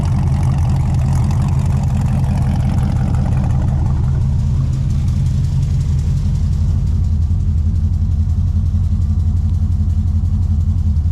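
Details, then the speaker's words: Honda S2000 after startup, idle settling to around 650–700 rpm: low, steady, smooth idle with no knocks or misses, sounds normal. "you'll hear it's just starting to come down now it's idling around 650 700 sounds pretty good"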